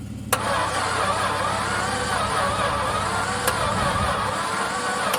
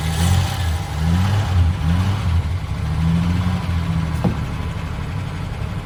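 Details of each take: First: VJ Dodge ute engine, long stored and believed stuck, with oil in it, cranking after battery boost: rough, uneven churning on the starter for five seconds without catching; harsh cranking. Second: VJ Dodge ute after gearbox fitted, jump-started: low even idle hum, steady beat, no knocks or rattles, much quieter than at startup.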